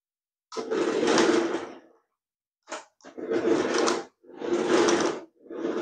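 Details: Nikko 9045 RC Teenage Mutant Ninja Turtle Party Van, a charity shop find, 2.4 GHz, tested driving forwards and backwards. Short bursts of high, even motor whirring with no slipping or gear clatter. Normal running.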